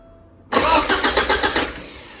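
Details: 1985 Porsche 944 after front engine seal rebuild, first crank with fuel system disconnected: starter turns the engine strongly and evenly at about five pulses a second but never fires; normal cranking.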